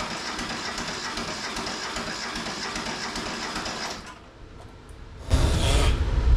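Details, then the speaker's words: Neglected Mitsubishi MT372 diesel tractor cranking on a weak battery helped by a charger: slow rhythmic starter churn, pause, another burst, no firing despite black smoke. "I would have thought she would have fired already. It's got to be getting fuel if it's freaking smoking black, right?"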